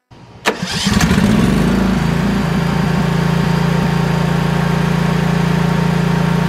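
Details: Briggs & Stratton Vanguard engine on 10,000 W generator, after surging/fuel-supply repair, refilled with ethanol-free gas: catches after brief crank, settles within a second into even steady hum, no hunting or surging.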